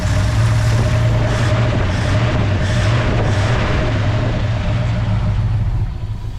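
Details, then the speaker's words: 1966 Ford Fairlane, Z-code 390 FE V8, 4-speed, first run in 20+ years after an Autolite 4100 carb rebuild, fuel leaking: deep, slow, loping idle that sags; idle speed set too low, carb not yet adjusted. "I mean, that thing is idling. I mean, that's way low. I'd actually want it to idle a little faster than that. But I mean, we haven't adjusted."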